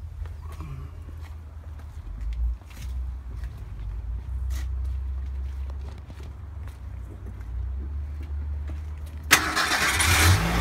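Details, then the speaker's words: 1987 Ford Ranger regular cab pickup with overdrive, cold start: fires right up and settles into a low, even idle with no misses, knocks or smoke; a louder, harsher burst comes near the end; normal cold start and idle. "fired right up don't give a little gas not smoking or anything"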